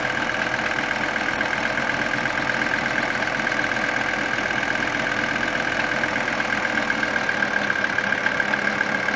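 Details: 1980 Mercedes 300CD diesel at idle: a steady, fast knock tied to engine speed over a mid-pitched hum, more audible with the AC on; a mechanic's stethoscope on all engine parts could not locate it.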